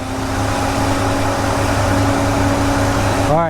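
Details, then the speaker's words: 1993 GMC Sierra C1500 at idle with a 1994 Ford Taurus two-speed fan run by a Delta Current Control controller: the low speed kicks on at 185°F with a steady whooshing hum, normal, too cool for high speed (195°F). "So, you guys hear that, right? 185° the low speed kicks on."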